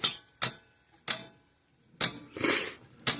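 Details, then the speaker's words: 50+ year old Sears 6 V battery electric fencer on bench power supply, after cleaning contact points: sharp dry clicks once or twice a second; fence charger pulsing normally. "I should be able to flip the switch on, and it should go clickety-clack just fine like normal."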